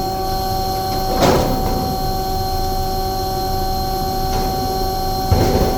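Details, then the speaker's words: Omni/EconoHeat/Morrheat waste oil heater burner after cleaning burner and nozzle, setting 12.5: steady even roar, constant hum, no surging or sputtering; firing cleanly, runs really nice, startup smoke clearing. "so um yeah but that's it there it runs really nice 12 1/2"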